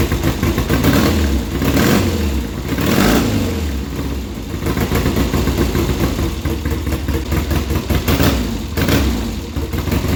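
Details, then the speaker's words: 1972 Triumph Bonneville 650 twin that sat roughly ten years; even after new plugs and sprayed points, an uneven, loping idle with one side plainly dead, cold. Dirty points need cleaning. "What side's running? This side's running, this side's not."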